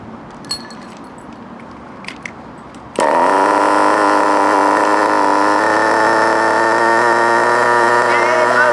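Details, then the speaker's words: FTX Carnage NT 1/10 nitro truck, GO .18 engine at operating temperature, after the idle screw was turned clockwise: after a brief fumble it catches and holds a high, steady buzzing idle on its own; normal idle, issue resolved. "Okay, so that's that issue resolved. You can see the engine will now sit there and sing by itself."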